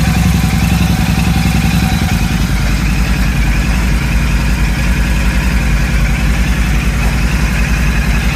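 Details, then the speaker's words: Royal Enfield Super Meteor 650 twin just after fitting a DNA high-performance air filter: steady, even idle with a low regular thump about 3.5 beats per second, noted as a bit deeper; healthy. "So I've had that idling now for about 10-12 minutes like suggested by people on the internet. While it's been running, you can tell that the sound is a bit deeper"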